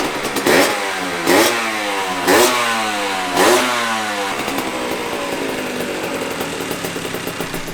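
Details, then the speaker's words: 1982 Honda MB5 two-stroke after head gasket fix, Malossi/Dellorto PHBG 21mm carburetor and new Proma exhaust, mixture untuned: four crisp throttle blips, then a light even idle; normal revving. "the mb5 has never sounded so good since i had this thing it has never sounded so good especially on first startup and i haven't even tuned this thing"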